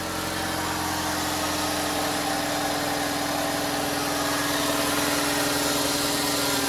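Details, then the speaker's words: 2012 Ford Explorer 2.0L EcoBoost after turbo (and cat) replacement, cold start: steady, even, quiet idle hum with no turbo rattle or tick; normal cold start idle. "all right now with the turbo replaced on here let's take a listen and see how it should sound on a cold start nice and quiet"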